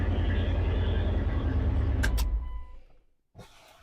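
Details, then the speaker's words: 1999 Dodge Durango running with muffler removed, recorded on external mic: loud, deep, raw rumble with rapid pulsing around 200 per minute, then engine cuts off; loud open exhaust before muffler replacement. "okay Alex this is the Durango without the muffler on it hopefully you can hear it good because I have an external mic on we'll see what she sounds like"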